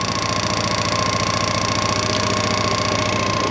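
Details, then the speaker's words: 1998 Honda PC800 after fuel pump replacement: the new pump whines as it primes fuel, then the engine runs at a steady, even fast idle with a faint constant whine. "hear that noise it's pumping that fuel trying to get that fuel up there but it's working"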